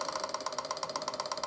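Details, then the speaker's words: Suzuki 1100G motorcycle, carbs reinstalled after mechanically clearing plugged idle jets, electric fuel pump primed with ignition on, quick even ticking about nine clicks a second while carbs fill, then stops; normal priming. "get multiple clicks out of it and it's filling the carbs have to wait for clicking the stop there we go should be ready to fire up"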